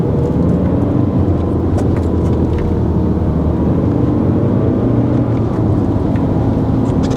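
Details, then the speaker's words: BMW E90 320d before turbo replacement: heavy, constant low droning hum, no clear knock or whistle, steady throughout; horrific turbo drone, to be fixed by fitting a new turbo. "horrific you hear that that sort of noise that is the turbo drone in so yeah it's it's an issue that we're going to have to fix"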